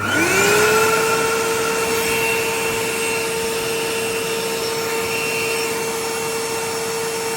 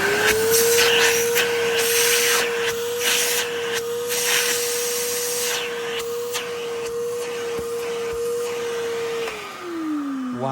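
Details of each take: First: 1980s Hitachi 790 bagless cylinder vacuum after full strip, clean and motor bearing lubrication: steady high motor whine settling after spin-up with slightly uneven, gritty edge; still rough, though better than before. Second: 1980s Hitachi 790 (1300 Powerhouse) bagless cylinder vacuum, refurbished: steady, even motor whine at one pitch with strong airflow hiss, then smooth spin-down; powerful suction, passes the "chicken test". Normal running.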